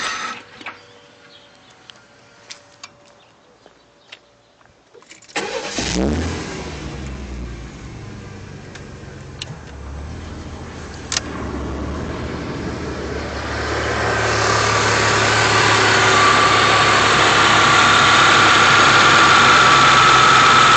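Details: 1993 Chevy S10 CPI V6 cranks, catches and idles unevenly; sputters driving, sometimes stalls at stops, idles better with A/C on despite replacing spider injection, fuel lines, cap, rotor, plugs, coil, filter, PCV, IAC and EGR.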